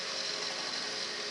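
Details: Byrnes 4-inch precision mini table saw with 36-tooth carbide-tipped blade, new out of the box, running unloaded: a smooth, steady high whir with no wobble, knock or rattle; motor runs cleanly with no vibration.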